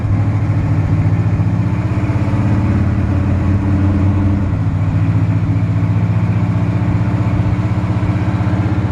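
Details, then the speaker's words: 1964 Chevrolet C10 Custom Cab pickup, V8, automatic, side exhaust pipes, starter recently replaced: deep lumpy burble pulsing steadily at idle through loud pipes; runs super strong, normal idle. "this engine runs super strong tons of power transmission shifts smoothly through all the gears"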